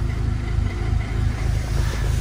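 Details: VW Golf Mk5 GTI, 113,000 miles: uneven, lumpy, rattly low rumble pulsing irregularly as it revs; rough running that sounds like a misfire, with no engine light. Cause suspected, not confirmed.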